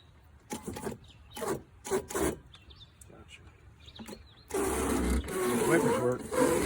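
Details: Abandoned Toyota Tercel SR5 wagon being revived, power applied while cranking: rough uneven rubbing scrapes then loud steady grind as wiper blades drag across dry windshield glass.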